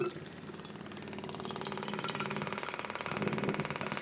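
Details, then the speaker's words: Onan Marquis 5500 RV generator (1998 Bounder motorhome) low-pressure electric fuel pump bench-tested off the battery, pumping a quart jar of fuel; quick even buzzing clicks about four a second, no stumbles; pump works normally. "Definitely pumping the fuel. So this is a low pressure type fuel pump."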